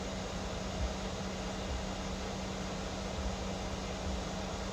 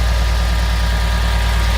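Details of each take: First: 2013 Mercedes GL550 (X166): loud steady low buzz from front right, AIRMATIC air suspension compressor running and overheating; fixed by replacing compressor and valve distribution block. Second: 2013 Mercedes GL550 (X166) after replacing the AIRMATIC compressor and valve block: steady engine idle with a faint even compressor hum; the loud buzzing from the front right at cold start is gone.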